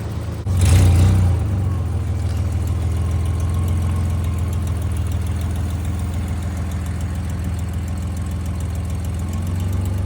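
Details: 1986 Nissan 300ZX after new crank angle sensor, spark plugs and cables plus a little more ignition timing: catches with a brief rev, then settles to a low, steady idle; light smoke seen, possibly burning a little oil.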